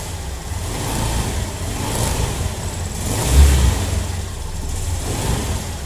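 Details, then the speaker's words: Honda Beat scooter CVT after disassembly and reassembly; it had previously made a scratchy "srak srak" noise. A smooth low drone swells evenly with throttle and falls back, with no scraping or rattling from the belt drive; normal CVT revving. "Nah, halus ya bunyinya udah halus. Enggak kayak tadi srak srak srak gitu ya. Ini udah halus, udah enak."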